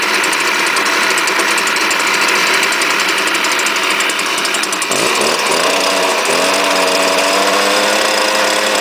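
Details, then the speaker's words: Cold start of a strato-charged commercial blower with semi-automatic choke, given three primes. Loud buzzy two-stroke sags and wavers, then picks up; owner suspects the spark arrestor screen is causing trouble: rough running. "I think I need to get rid of that spark arresttor screen. I think it's causing a trouble again like last time."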